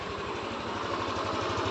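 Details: Yamaha NMAX 155 V3, about 9,500 km, after repairing a burnt wiring fault that left it not starting: even, quick thumping around twelve beats a second, no misses or knocks, no check-engine light; healthy idle.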